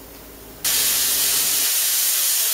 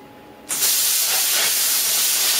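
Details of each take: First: Plasma cutter at just under 100 psi on the same steel, still using the tip damaged by the earlier low-pressure cut: steady loud even arc hiss with no sputter, cutting properly and faster; normal cutting with correct air pressure. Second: Plasma cutter cutting 1 mm sheet on a small air compressor at 50 psi: sudden steady rushing hiss, weaker than the usual air blast; low air flow at the torch, though it still cuts cleanly.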